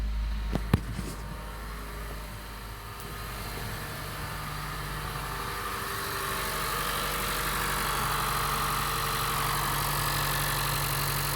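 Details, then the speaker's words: 2015 Honda Jade hybrid after clearing error codes and a throttle-body relearn: the idle settles into a steady, even hum with no stumbles or misses, then it switches to electric mode; it runs normally. "движок работает ровненько хорошо вот такой вот Джейд на ремонте Пусть обучается"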